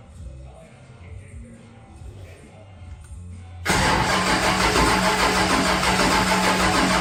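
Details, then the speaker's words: Henry J engine with a bad new GM HEI ignition module, later swapped for an old one: starter cranks steadily at about three turns a second with no firing at all, no spark from the faulty module. "Okay, I'm going to go key it over a few more times and you're going to see no fire."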